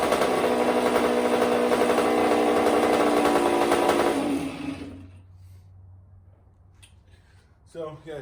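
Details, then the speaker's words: 1984 Honda CR60R two-stroke, after carb clean, air mix screw set one turn out (was fully in) and needle clip moved down to second-last; crisp high buzz holds steady about four seconds then shuts off, runs cleanly, normal running. "i also move the needle clip position down one so it's on the second last one right now and that seems to have done the trick so let me just start her up here quick"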